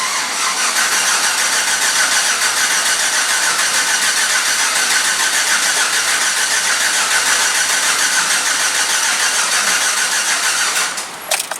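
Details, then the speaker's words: 2007 GMC Yukon, first start after engine replacement and oil pressure priming: clear-flood crank, starter whirring with even pulses about 3.5 per second, no firing, cranks a bit slow; typical. "Crank it a little slow. That's typical."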